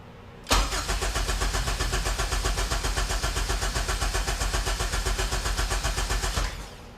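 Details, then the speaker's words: HPD K24Z7 engine swapped into a Honda EK hatch cranks steadily, about four pulses a second, but never fires; no fuel, and a jumper that came out of the harness is suspected. "there's no fuel all right well not on maybe that was the jumper we needed"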